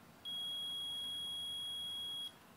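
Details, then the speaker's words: AC compressor continuity test with a meter across the leads: one steady high-pitched beep of about two seconds shows continuity, so the windings are intact. All three leads are checked this way. "the first test you're going to want to hear that sound it's continuity so you go from one lead to the other lead you have it and you do this to all three"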